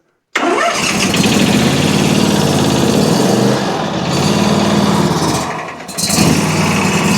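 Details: Country Clipper Challenger 52-inch zero-turn mower that came in locked up and not turning over, low on oil, battery boosted, carb/choke cleaner used; it fires and settles into a steady, even drone with a brief dip, surprisingly sounding fine with no knocks or misses.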